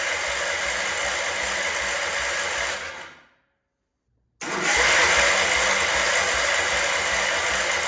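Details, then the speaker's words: Wheel Horse C-120 garden tractor cranked on choke with the fuel system empty and a broken wire found. Starter whirs steadily, pauses, cranks again, but never fires; no fuel reaching the carb, no start from fuel starvation. "Got to get fuel up, don't forget, the whole system is empty, so."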